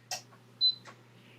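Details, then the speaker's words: Heat press for drying and flattening trading cards, temperature reaching 186–191 degrees: the heater relay gives sharp, dry clicks about a second apart as it switches the heating on and off around the set temperature. "I can hear it clicking on and off by the way. Like meaning like it's turning on the temperature and turning it back off."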